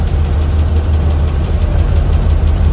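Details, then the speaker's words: Jeep Grand Cherokee WK2 SRT 6.4 HEMI V8 idling with a light, quick tapping in its low rumble, traced to a worn, loose roller on one hydraulic lifter; another roller is also worn, and camshaft damage is likely. "нашли причину стука вот изношен ролик на одном из гидрокомпенсаторов посмотрите как он болтается"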